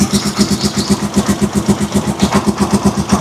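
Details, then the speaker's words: Rusi Chariot 175 trike single after changing old oil for Bajaj oil, loud engine noise gone: steady idle thumping evenly about four beats a second, no tick on top; quiet normal idle. "So kanina nung pinander natin yung luma na langis yun, malakas yung under yung tunog ng makina. Pero ito talagang napakatiling niya."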